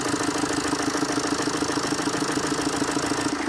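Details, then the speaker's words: Warm Tata Zest diesel that already had timing chain work; the knock lessens when an injector wire is unplugged. Hard, even knocking about three times a second over a rough, misfiring, backfiring idle, caused by seized injectors. "इसके injector जो है अंदर seize मार के हुए हैं और गाड़ी आप देख लो गाड़ी गर्म होके बैक मार रही है यह देख लो"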